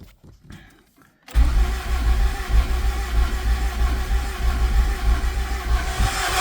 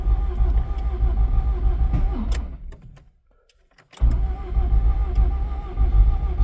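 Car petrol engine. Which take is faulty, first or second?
second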